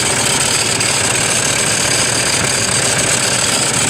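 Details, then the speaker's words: Toyota Fortuner with battery warning light lit: loud, hissy, gritty whirring from the alternator area at start-up and idle, like a belt noise or failed bearing. "Fortuner സ്റ്റാർട്ടിങ്ങിൽ നല്ല sound, സ്റ്റാർട്ടിങ്ങിൽ എഞ്ചിൻ്റെ ഭാഗത്ത് നിന്ന് belt noise പോലെ ഒരു bearing ഒക്കെ പോയ വലിയൊരു സൗണ്ടാണ്."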